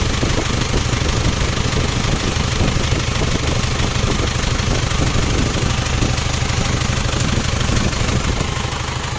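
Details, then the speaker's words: Isuzu Panther double-cabin diesel idling after overhaul, after replacing the leaking copper injector nozzle ring that had caused a hissing sound; steady even clatter, firm low rumble, no hiss or misfire, healthy idle. "ini setelah kita perbaiki kita ganti rank bagian nozzle nya rank tembaganya ya teman-teman gitu Ini sekarang suaranya Alhamdulillah"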